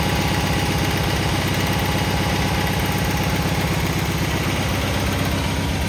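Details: Cub Cadet 782 tractor started after repair: steady even thump around four per second at idle, no misses or knocks; healthy idle.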